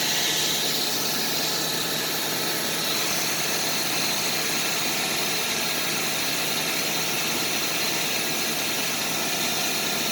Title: 1998 Ford Ranger 4.0 overhead rough idle problem